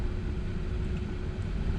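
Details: Audi Q7 heater blower motor after removal, cleaning and lubrication, refitted and stepped through fan speeds one to twelve: steady, even low whoosh with no squeak or chirp so far; squealing later returned despite the cleaning, so a new motor was fitted.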